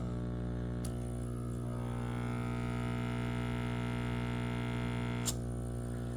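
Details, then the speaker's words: Whisper 60 aquarium air pump, screws removed: loud steady low buzz with strong rattling pulse about four times a second, extreme vibration on one side, hardly any on the other, still pumping air; owner suspects worn rubber bladders/diaphragms. "Hear that? Extreme vibration on that side. Hardly any on this side."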